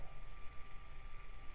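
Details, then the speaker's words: Super Duty linear actuator rated 400 lb force running on controller: faint steady hum with thin high tone and soft low rumble, no grinding or rattle; normal quiet running compared with noisier classic-style actuator. "that's a very quite actuator but if I run save this classic style actuator it's quite noisy so why what is the difference"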